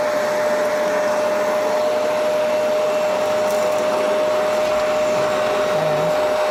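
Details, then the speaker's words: Kenmore vacuum cleaner powerhead after belt replacement, cleaning and reassembly: steady, even motor whine with smooth airflow rush, no rattle, slap or grinding; normal running, much quieter than before. "As you can see, it's working better, and it's a hell of a lot quieter."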